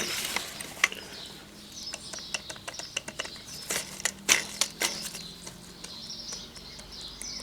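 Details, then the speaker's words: 2008 Ford Focus 1.8 TDCi, serpentine belt edges shredding: tensioner-assembly pulley spun by hand off the engine gives scattered dry clicks and gritty rattle with noticeable play; worn tensioner pulley bearing, likely cause of belt wear. "And a fair bit of movement and a fair bit of noise, so I'm guessing, hoping, that's the only thing I can find wrong. That's why our belt's been wearing funny."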